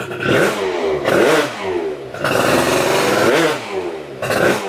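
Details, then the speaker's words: Booster scooter with freshly built 77cc Athena two-stroke kit, just started after build: sharp free revs rising and falling in bursts, no knocks or rattles; healthy normal revving. "Ça te plaît déjà au son? Ah, il a un beau bruit. Tu sens qu'il a la mort."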